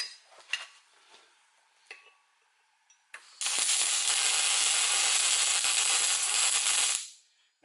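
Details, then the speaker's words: MIG welder in synergy mode tacking roughly 10 mm steel, running off an extension lead on a 13 A plug. About three and a half seconds of steady even crackling hiss, no breaks or pops: normal MIG welding. "it sounds a bit weird cuz it's on synergy mode compared to normal mode, but believe me, it's welding."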